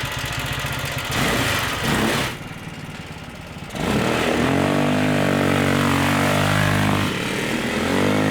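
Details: Stage 2 Predator 420cc single on a Polaris ATV, rebuilt after muddy water ingestion (rings cleaned, valves lapped, headwork): revs up, drops back and settles to a steady even run, no knocking; running properly, needs leaning out a little.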